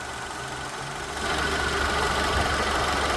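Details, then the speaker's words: Idling engine turns louder and harsher as the A/C engages, with a rough knock about four times a second from internal A/C compressor noise; the compressor is also deficient and needs replacement. "Además de que hay un sonido interno en el compresor, hay una deficiencia en el mismo."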